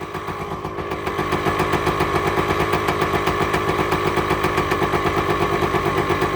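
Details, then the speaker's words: Two-stroke motorcycle's first cold start after finishing the right side of the engine; crisp even popping about four beats a second, clearing as revs settle; running clean with no leaks. "Purring like a kitten, baby. The sweet sound of a 2-stroke."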